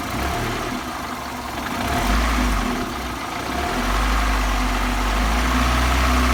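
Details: VAZ 21124 16V engine at rough idle: steady knock about three to four times a second under the engine note; same cold and hot, owner can't identify the source; engine knock.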